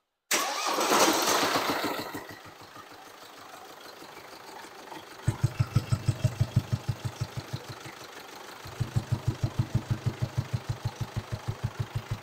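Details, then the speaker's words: 2019 Mercedes Sprinter diesel, high mileage, idling with intake pipe removed: sharp, even clatter about three times a second from the top end, louder with intake off; top-end problem suspected, found to be a slipped rocker arm. "the sound there's definitely a a bigger sound when the intake pip is off this um indicates like um there could be a potential problem on the top end"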